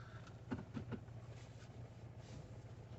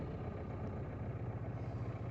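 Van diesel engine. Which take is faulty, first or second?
second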